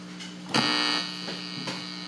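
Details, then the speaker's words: Fender Frontman 10G guitar amplifier: steady low buzzing hum with a crackly jump as the plug shifts; a guitar lead not fully seated in the input jack causes hum, and the input jack or plug is suspected faulty. "so that's it there's a humming sound if you miss place the uh PRS Jack on it input so how you have to place it properly like that"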